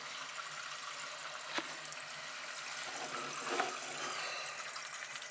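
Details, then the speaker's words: APEC RO/UV water system under the sink after fixing a leaking screw-in fitting with JB Weld, water turned back on; steady hiss and trickle through the lines with no sputter or spurting; normal water flow. "I'm going to uh turn the water on it don't matter you know where I turn the water on okay so there it goes you can hear it going"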